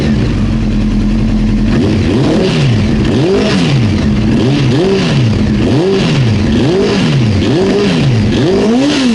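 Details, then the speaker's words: Honda CBR900 Fireblade four-cylinder with the tank and airbox refitted after diagnosing running issues: crisp blips rise and fall cleanly over a steady idle, with no popping, backfiring or dead cylinder. It revs healthy. "Looking alright, really."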